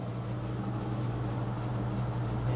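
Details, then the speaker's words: Maytag Neptune TL top-load washer (FAV9800AWW/FAV6800AWW) after clutch repair for UL unbalanced-load error: steady low hum during spin near 18 minutes while pumping water out, no scraping or grinding; runs smoothly and healthy. "we're down to 18 minutes as you can hear it's running pretty smoothly I think it's pumping some water out now"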